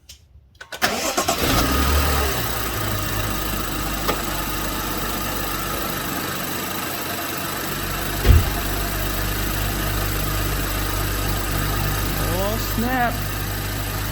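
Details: BMW F10 535i after drive belt tensioner replacement, belt fairly new: cranks briefly, catches cleanly and settles to an even idle with no chirp or belt slap; starts and runs normally.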